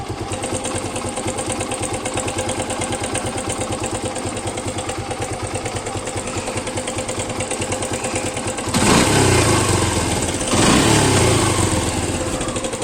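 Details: Suzuki Gixxer motorcycle: the idle carries a regular tapping about three times a second, then two quick throttle blips; abnormal top-end engine noise at idle, cause unclear.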